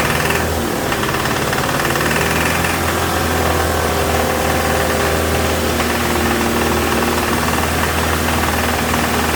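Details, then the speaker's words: 2007 Toyota Tacoma 2.7 four-cylinder held at raised rpm from the cab: hard, rapid bottom-end knock, double knock when cylinder 1 cut; teardown found spun connecting rod bearing. Also timing chain rattle on cold start. "so now it's got a double knock when i kill number one cylinder but it definitely seems to be related to number one"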